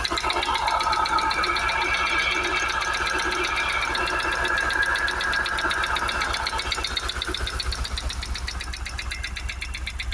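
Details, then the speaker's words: Jaguar XKR supercharged V8 just after first cold start of the day, mic close to the suspected area: heavy regular knocking about four times a second over a rough, diesel-like idle; no smoke; owner suspects supercharger, timing chain also considered. "I mean, that's proper rough, isn't it? And again, I've only just started the car."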